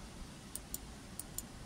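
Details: New replacement tailgate micro switch for a Land Rover Discovery 3, clicking crisply four times in pairs as it is pressed and released by hand; this is normal switch action.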